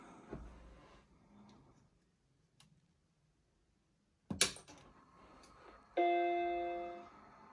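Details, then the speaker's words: Macintosh Classic II powered on after a RAM upgrade from 4MB to 10MB with new 30-pin SIMMs: handling clicks, then one clean startup chord. Startup took a little longer, likely a memory check, then it boots off the BlueSCSI; this is a normal start. "That's a good sign already. Right, so I noticed it took a little longer then, so I'm guessing it's doing a memory check."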